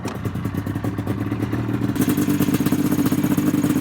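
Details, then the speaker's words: XC 700 two-stroke sled with aftermarket pipes: crackly, raspy revving with a popping, uneven note; it's running lean, carburetors to be pulled and checked. "She's lean. So we're gonna get that figured out."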